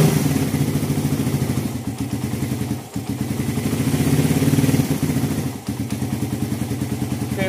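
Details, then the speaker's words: 2014 Suzuki Satria FU bored-up single after the idle adjuster was fixed: a steady, even putter that holds its rhythm. Normal idle; the engine is smooth, with only a slight header exhaust leak remaining. "setelan stasioner sudah berfungsi ya. Knalpot masih agak bocor."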